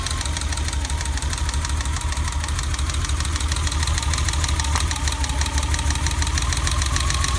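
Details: BMW E30 at idle after a new distributor cap and rotor: an uneven, lumpy idle with an irregular stumble about three times a second over a low rumble. The misfire persists and its cause is unconfirmed.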